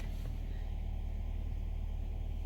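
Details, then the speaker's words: 2015 Nissan Altima 2.5 (P0014, P0300) after replacing the stuck valve timing solenoid: a low, smooth, steady idle, slightly high at first and settling down, with no stumble, shake or misfire; normal idle. "ok we want to start the car now as you can see the idols steady now who wants little little high but it's gonna is gonna drop in a steady"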